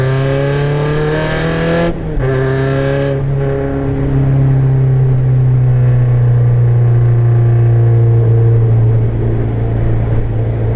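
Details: KA24DET turbo four-cylinder, 62-1 turbo at 7 psi, pulling from 2nd to 3rd gear, with a raspy, puffing edge from an exhaust leak.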